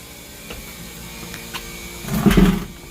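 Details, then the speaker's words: Homemade air-conditioning system on R-404A, somewhat low on charge. A low hum swells as the compressor kicks on and its small cooling fan spins up, settling evenly with no rattles; the top fan has a one-minute delay. Normal compressor start-up. "you can hear the compressor run you'll hear the little cooling fan come on for the compressor and then the fan up top has a one minute delay"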